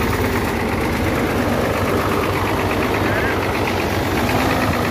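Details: Hino J08C truck diesel after overheating: rough heavy idle with dull uneven knock from cylinders 1 and 2, high back compression (blow-by) with oil and smoke blowing out; seized pistons and rings.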